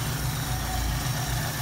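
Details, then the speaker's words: 1973 Mustang 302 with a 2V 2100 carb, warm, solenoid unplugged so the pin collapses to base/curb idle: slow, low, even idle of about 400–439 rpm with a soft steady lope and no misses. Normal base idle. "439 rpm 400 rpms or four between times when i normally like it but this is fine"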